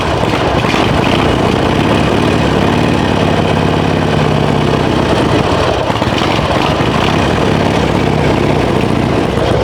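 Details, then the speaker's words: 2005 Harley-Davidson Sportster 1200 Custom, cold start warming up on choke the day after fitting a new TYKOOL lithium battery, left in overnight: V-twin catches and settles into a steady, even lope with no misses or stumbles. Healthy. "So I'm gonna start it up, and I'm gonna let it warm up a little bit until it can run without the choke on, and then that way you guys can see that it, the battery keeps the bike running nice and strong, hopefully."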